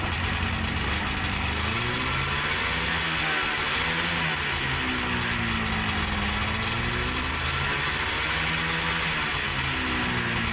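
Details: 1977 Yamaha TX340 grass drag snowmobile, two-stroke, revived after a decade stored, with replacement clutch; raspy buzz rising and falling smoothly as revs swing, no misfire, clutch engagement about 5200 rpm; running healthy.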